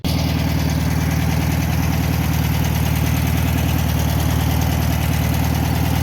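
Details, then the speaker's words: 1962 VW Bus single-port flat-four, possibly 1500, after reattaching a loose spark plug wire following power loss and smoking on a trip: even steady low putter, no misses or knocks; normal idle. "Running pretty good. Good little motor, little single port."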